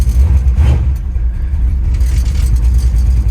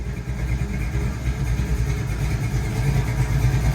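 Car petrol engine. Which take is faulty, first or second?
first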